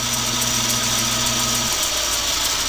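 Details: Logan 922 metal lathe, 11-inch swing, 36 inches between centers, quick change gearbox, running in reverse: steady hum with a light sharp click about four times a second from the spliced flat belt joint.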